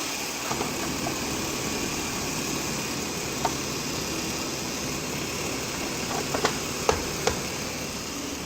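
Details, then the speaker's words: Ford Taurus after replacing the AC compressor clutch magnet (previously rough idle and P1633 code): steady, even idle with smooth hiss, no knocks or chirps, AC on and compressor clutch spinning, fuse not blown. Normal idle with AC on. "at this point it's no idling normal feels like we have air AC compressor clutch is now spinning"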